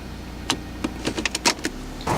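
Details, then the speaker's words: Ford Escape power window: the motor runs with irregular squeaks and catches as the glass travels, dragging and sticking in its run; power window sticking. "See, you just, you can hear it sticking into the it drives me crazy."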